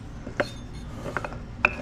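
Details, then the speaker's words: Turbo 1.6 Miata differential, blown for the second time, turned by hand: uneven metallic clicks and clunks with a locking then free spot as chipped teeth catch; ring and pinion appear to have given out. "it looks like maybe just the ringing pinion gave out that's what it's looking like"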